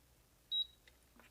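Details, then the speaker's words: Induction cooktop that gave one long beep and no display on power-up: with the start key's two pins bridged by screwdriver, it beeps once and starts, so the start key switch has failed. "hóa ra cái pan này rất là dễ thôi các bạn đó chính là Pan này bị hỏm cái nút khởi động đó"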